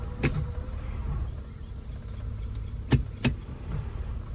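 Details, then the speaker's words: 2002 Acura MDX, 226,810 miles, idling in gear after an ignition switch replacement for intermittent electrical shutoffs: a low, steady idle rumble with a few handling clunks and no stalling. It used to die in gear; now it runs normally. "Usually when I put it in gear, it dies. Sweet. I think we got her fixed, guys."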